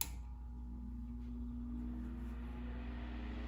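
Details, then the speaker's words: 1950s Electrohome 8-inch desk fan, model 608S, single-speed 120V shaded-pole 2-pole motor: quiet, even hum rising in pitch as the blades spin up. A smooth, normal start-up. "got a nice little startup sound"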